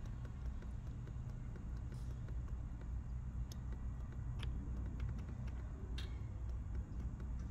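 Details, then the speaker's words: Porsche 991 Carrera S with a cooling system fault: a cooling solenoid is energised with a test tool and gives sharp faint clicks every second or two over a low rumble, so it works (another solenoid was open circuit). "hear that noise that's that solenoid that solenoid there working"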